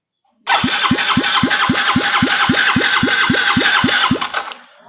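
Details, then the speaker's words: Yamaha Mio J injection scooter cranking on the starter at about four compression strokes a second for four seconds with no firing. The spark test shows no spark while the fuel pump hums. "Oke, kita bisa lihat sendiri di sini enggak ada percikan api."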